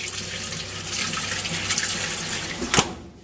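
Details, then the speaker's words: Fisher & Paykel MW511 washing machine after owner's repair for error code 130, first test run: steady rush of water filling the tub, cutting off cleanly, no grinding or clunking; centre agitator now spinning, fault apparently fixed. "so as we can see now we've got a bit better result the bit in the middle is spinning which means it's fixed pretty much"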